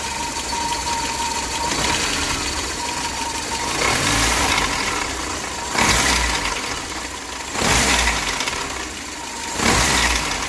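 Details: VAZ 21099 1.5-litre petrol engine idling with a thin steady whistle and a harsh grinding knock surging about every two seconds; owner unsure of the cause.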